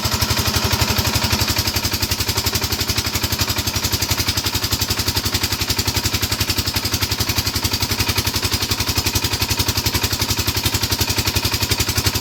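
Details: 5hp single-cylinder diesel engine with crisp, regular thumping at about four beats a second and no extra knocking; it sounds healthy.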